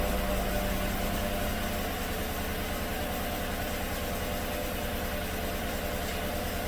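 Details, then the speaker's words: 2016 GM truck 5.3 V8 with AFM tuned out and fresh plugs idles with an uneven stumble about three times a second, misfiring on cylinder 6; its new GM exhaust lifter collapsed again, though an injector was also suspected. "well it's still counting misfires on cylinder six so I suspect the injector is poorly spraying or improperly spraying"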